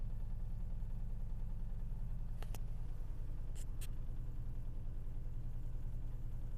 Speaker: Зеркало дрожит. На руле вибрация. Не знаю, слышно, нет этот стук. Долбит прям ощутимо.